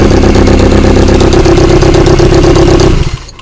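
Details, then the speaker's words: 1.1 Peugeot 106 after a head gasket replacement: rapid, fairly regular exhaust chuffing and a misfire on startup before shutoff, from untightened downpipe bolts leaking exhaust. "okay the bolts on the downpipe haven't been tightened up here"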